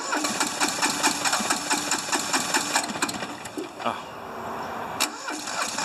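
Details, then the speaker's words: Hinomoto diesel tractor, once stuck, cold at about 40s °F: irregular chuffing at about two beats a second, some strokes harder than others; one cylinder hits better than the other. Owner suspects injectors, compression or glow plugs. "i think it's got one that's definitely hits better than the other"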